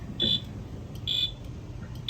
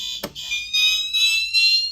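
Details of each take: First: Wheelock Fenwal MT-24-LSM horn on code three, tripping when coder plugged in due to resistor issue, goes off at almost any voltage: three shrill horn blasts over low hum; fire alarm horn sounding unintentionally. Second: Fire alarm test, System Sensor Spectralert Advance CHSR horn set to whoop, which works now that the panel treats the circuit as continuous. High tone sweeping upward in quick even whoops: normal whoop tone.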